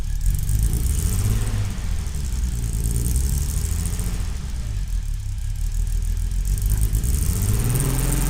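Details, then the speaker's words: 1970 Mercedes-Benz 280SL pre-purchase inspection, cold start (second start), idled about 15 seconds then accelerator pressed: lumpy, uneven, stumbling inline-six idle, not firing correctly, misfire felt; cold start rough idle. "you can hear how it kind of struggled a little bit and then when I stepped on the accelerator finally you can hear that the brook where it's just not it's not firing correctly"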